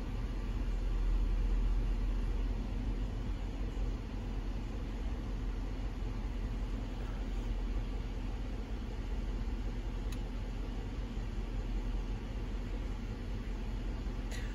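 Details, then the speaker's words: Jeep Grand Cherokee whose air suspension would not go down, now working: a steady low rumble as the body settles evenly, with no stalls or hard clunks. The suspension lowers normally. "so it is working just fine um in fact I'm going to Drive it'll go all the way down now so I know what the problem is"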